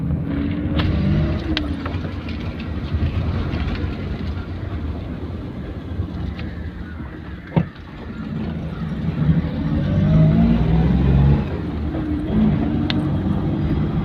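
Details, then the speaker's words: Maruti 800, driving through a turn after fitting a second-hand left drive axle; the old left axle had a torn boot and made noise on right turns: steady road rumble, no clicking or knocking; normal CV axle. "Customer second handle മേടിച്ചാണ്. വലിയ കുഴപ്പമൊന്നുമില്ല."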